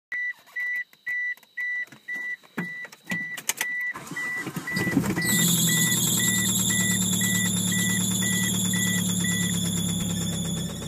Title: 1997 eclipse Gst knocking/ ticking noise?????